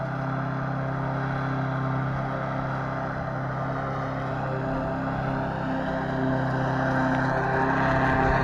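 Small engine holding a steady, even drone with a constant pitch and no misses or knocks, running smoothly.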